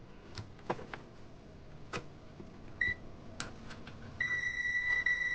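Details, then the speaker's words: Steady high continuity beep with handling clicks from a multimeter in continuity mode on an Onkyo HTR-590 AV receiver with no power, only relay clicking; 5 V rail shorted to ground, so primary voltage does not come up. "So இந்த கிரவுண்டோட ஷார்ட்டாக இருக்கனால இந்த primary வோல்டேஜே வராது."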